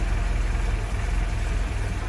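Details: Land Rover Series 2a, first start after engine rebuild: deep, even low rumble at steady idle with no knocks or misses; temperature coming up, no leaks seen, idling smoothly and healthy.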